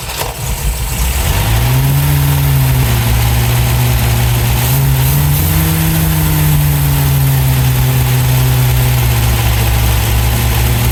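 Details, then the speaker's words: 1971 MGB GT, first fire-up after cleaning debris from the carbs: steady low idle with a slightly uneven beat and lazy rise in revs. Much better than before but still rough. "Sounds a lot better already. Maybe reaching up a little bit, a couple of turns. Certainly a lot better than it was."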